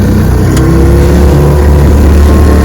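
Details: Restored 1948 Johnson TD20 5 hp two-stroke outboard on a lake, pushing a boat about 8-10 mph: loud, steady drone held at full throttle with no sputter or misfire; runs cleanly.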